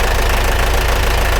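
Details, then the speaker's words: Military vehicle diesel, cold and not yet warmed up, oil previously spurting out; restarted to test pumping oil or blow-by: loud, uneven clattering idle with heavy rough knocking and chuffing, worn engine with heavy blow-by. "Ngayon ita-try ulit natin kung talagang ito ay pumping oil or blow."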